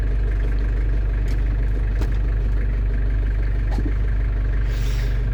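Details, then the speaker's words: London Taxi diesel idling while bleeding fluid after automatic gearbox gasket and fluid renewal, selector moved through each gear for about 10 seconds; steady idle with soft single clunks as gears engage; normal automatic gear engagement. "you know it's about right because when you pull it down into gear, obviously you'll feel a slight rock or an indent as they call it, so that means the gearbox has selected that gear."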